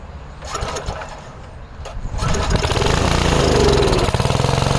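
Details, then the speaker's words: 5 HP Briggs & Stratton on an MTD rototiller, no choke or prime, carb loaded with brake cleaner: after a few pulls it catches and runs with an uneven pulsing beat, like fuel starvation, then stalls. Owner thinks the brake cleaner kept it running that long. "Yeah, I ran with my hand over it over over the inlet here, but there was so much brake clean in there. Maybe that's why it ran that long."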